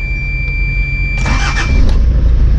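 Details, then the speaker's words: 1991 Toyota LiteAce 4x4 Limited diesel, right-hand drive, started after letting glow plugs warm: brief crank, catches almost at once and settles into a steady, even low rumble with no misfire; normal cold start. "wow right up she sounds good beautiful"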